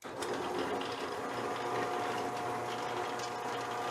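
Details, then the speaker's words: Drill press with a 1981 motor, about 39 years old and running before teardown for restoration: a steady hum with a light, fast, uneven mechanical rattle throughout. Something inside is loose. "too bad you can hear it does rattle a little bit so I think first thing I'm gonna do is just kind of tear this thing apart"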